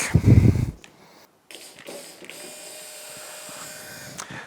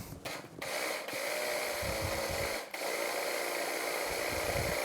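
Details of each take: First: 2004 Yamaha F225 outboard powerhead rebuild, bench test of the low-pressure lift pump on its bracket: a new pump runs with a steady, even mid-pitched hum, unlike the old unhealthy-sounding one, which is replaced. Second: 2004 Yamaha F225 outboard during powerhead rebuild, low-pressure fuel pump bench-tested on battery power while on bracket: coarse uneven whir with dropouts; sounds wrong compared with a new pump, replaced.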